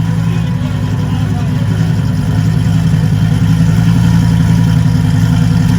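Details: Lamborghini after an engine and transmission rebuild, first startup: low idle drifting in speed as it chases idle, with a throttle body fault code; the throttle body needs recalibrating.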